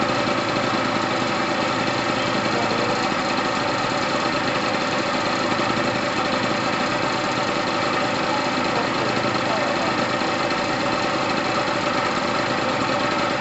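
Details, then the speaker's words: Gilera DNA 125 two-stroke, which had sat a while and needs loosening up, revs crisply and evenly with no misses or rattles. New fuel line fitted; petrol heavily premixed with two-stroke oil. Normal running. "it needs it needs loosening up but it sounds amazing yes i love a two-stroke sound"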